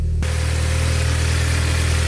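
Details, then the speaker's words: Audi S3 8P with the 2.0 TFSI engine, just after its cold start once cranked with the coil packs unplugged to build oil pressure: steady, deep hum with an even low drone and no misses or knocks. The engine idles smoothly. "all right so now we should be able to see what the normal idle is like now the cold starts finished [Music] pretty smooth for tfs like"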